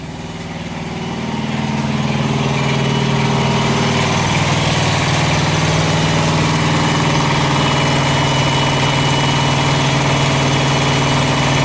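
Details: Thermo King Evolution APU diesel on a truck, oil checked, fuel pumping into pre-filter: catches after cranking and builds to a steady, even idle with regular low throb, no misses or knocks; normal idle.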